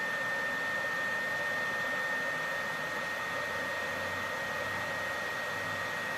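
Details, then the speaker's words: PS4 Pro console cooling fan, before cleaning, as the game starts: a constant loud rushing roar with a thin steady whistle on top. The fan is very loud. "even if I were to pull this out you know it's not gonna be as loud but it's still freaking loud"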